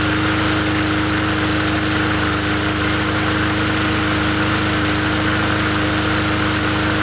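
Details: Free 20-inch Bolens push mower from the dump, fresh oil added, quick fix to get it going: the small engine runs at a steady, even high idle with no misses or knocks, just a constant drone; normal running.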